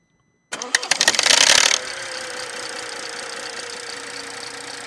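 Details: BMW F31 B38 1.5L turbo engine with stretched timing chain and faulty camshaft adjuster: harsh clattering rattle for about a second after firing on cold start, then quieter idle; timing chain rattle on cold start.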